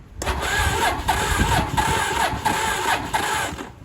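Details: 1983 Honda Shadow VT750C motorcycle, starter test without meaning to start the engine: even cranking at about four beats per second with a steady starter whine; the starter turns the engine over normally.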